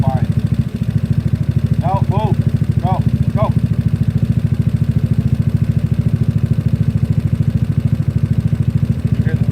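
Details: GY6 scooter engine idling, started while holding the brake lever, untuned since it runs fine: steady, even low putter with no squeal riding over it, the earlier squeak now gone; the little engine ticks over smoothly and sounds healthy.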